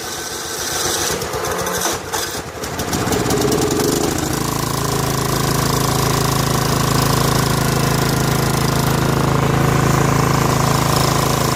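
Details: Snapper SR1433 rear-engine rider mower, sat 8 years, after carburetor rebuild, choke on: rough sputtering start then steady even drone; normal running, muffler deposits likely burning off.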